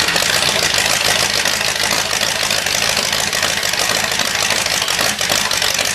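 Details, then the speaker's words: Carbureted Cadillac 390 V8 on first start after sitting 8 years, fuel pump off, fuel dumped in the intake to prime, no coolant yet: loud, raspy V8 catches and keeps running at a fast idle with sharp, crackling exhaust; it runs. "well it definitely runs I think uh now that I know it runs I'm going to go ahead and put some uh coolant in it"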